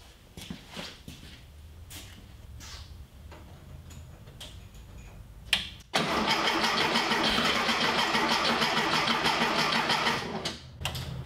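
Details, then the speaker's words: 1973 VW Thing Type 181 that sat for years, fuel poured into the carburettor bowl, battery probably not charged: weak starter cranking, then a rough, ragged roar for about four seconds before it dies. Owner says the ignition timing is off. "yep messed up the timing for sure"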